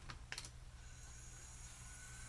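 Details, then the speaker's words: IBM ThinkPad 570 cooling fan, removed and blown out with compressed air, bench-tested: a few clicks then a thin steady whine over a low hum; spins but sounds bad. "yeah it spins oh it sounds really bad"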